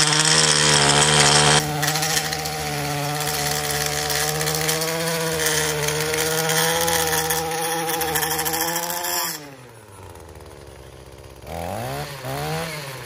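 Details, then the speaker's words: Echo PAS-2620 multi-tool two-stroke with curved-shaft edger attachment cutting into dirt along a driveway: buzzy steady slightly strained pitch, bogging under load and not reaching full rpm. "It was bogging down a little bit. You could probably hear it. It wasn't running at like full RPM, and it was definitely trying to give it more juice."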